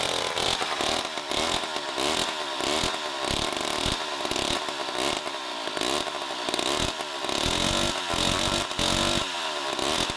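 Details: 1960s Homelite C-51/XL-12 two-stroke chainsaw with a ragged buzz that surges and sags every second or so, never holding a clean rev; it runs rich and floods the carb (cause unknown), so the low-speed screw was turned in.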